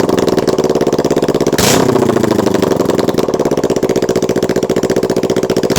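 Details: Kawasaki Ninja 650 misfiring: choppy, uneven exhaust pulses with a stumbling beat around a blip, running on one cylinder when letting off the throttle and sometimes randomly firing on one cylinder.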